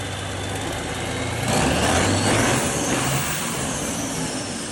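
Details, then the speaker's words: Large diesel after a major overhaul: catches and runs with a steady, even clatter that briefly swells with revs, no knocking; runs normally. "самолёт отак працює"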